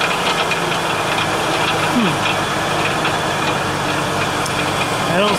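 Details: Ford Taurus, rattle at startup/idle: uneven light, loose irregular rattling over steady idle, not a clean knock; owner suspects exhaust, heard behind the engine rather than under the hood. Source unconfirmed.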